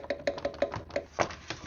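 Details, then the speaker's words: Jeep Wrangler JK radiator cooling fan, removed and spun by hand: quick uneven jiggly ticking about six times a second, heard while running as a gurgle; owner suspects shot fan bearing, replaced with new fan. "I'm just guessing that bearing is shot in there. Probably not supposed to sound like that."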